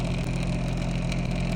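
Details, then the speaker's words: MG Hector diesel with AC on: steady rough fluttering whir from the dash blower fan; cabin filter was not fitted properly in its panel and got caught in the fan. "अब AC चलाने के बाद देखिए किस तरह से फरफर आवाज आ रहा है इसमें।"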